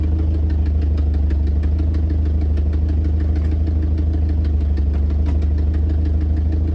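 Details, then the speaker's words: 1993 Volvo 240 DL with AW70 automatic, sat two years on bad gas, just started: fast light ticking, about three a second, over a steady idle rumble; some top-end ticking after long storage. "but what's not five that is a little bit of top end but like i said this thing hasn't ran in two years"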